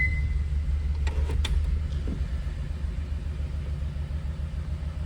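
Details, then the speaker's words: 2014 Ford Expedition with a Coyote engine swap, first start and first drive: a rough, uneven rumble with dropped beats and sharp clicks as it moves under load, shaking felt inside. The engine is misfiring badly; cause not yet confirmed. "I can just feel it shaking in here. Let's just see if we uh get this thing to move. Yeah, look at that. Oh man, is it misfiring so bad?"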